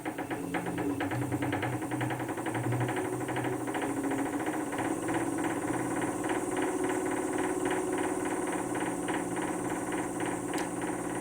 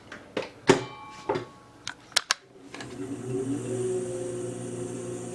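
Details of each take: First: Wood lathe (VB36) running empty: sharp even ticking over motor hum, rising with speed, seemingly inside the headstock; owner first suspected bearings, but cause was misaligned drive pulleys, fixed with a 4 mm hex wrench. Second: VB36 lathe headstock after fixing a speed-related ticking feared to be bad bearings, with a 4mm hex wrench adjustment: a few clunks, then a steady, even, smooth hum with no knocking or rubbing.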